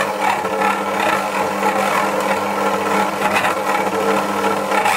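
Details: Dualit 88013 desktop mixer kneading 500g flour and 300ml water, within its stated limit, labours in uneven surges and skips speeds; a replacement unit did the same, cause unknown.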